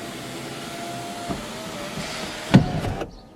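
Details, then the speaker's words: Car sunroof opening and closing: steady electric motor hum broken by a light knock then a loud hollow clunk; likely needs lubrication with synthetic silicone grease: sunroof clunk during operation. "is your car's sunroof clunking when you open it take a listen did you hear that boom when it went to open"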